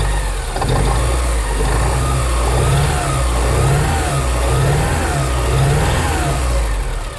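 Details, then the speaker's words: Porsche 944 stored about 20 years in a hedge, first start: rough, uneven running with a loose pulse about once a second at idle; engine clearly unhappy, cause unconfirmed. "Something isn't happy. Something's really unhappy."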